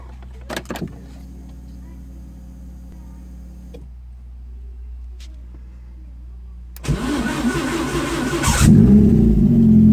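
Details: Renault 5 GT Turbo with F7P engine, first start after a bottom-end rebuild: quiet for seconds, then it cranks, catches and revs up cleanly with an even note. A normal start and idle.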